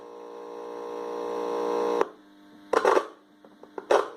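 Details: 5.1 amplifier: steady low buzz with layered tones swelling for about two seconds, then a few clicks; mains hum, with the transformer possibly involved but the cause not confirmed.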